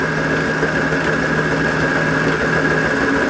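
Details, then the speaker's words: Mini lathe ELS conversion with the Z-axis stepper motor driving the lead screw, jogging the carriage back and forth from the controller. A steady, even high whine over a low hum with no knocks or grinding; normal stepper motor jog. "The other thing that this box controls, apart from the automation, is simple things like you can move the carriage backwards and forwards."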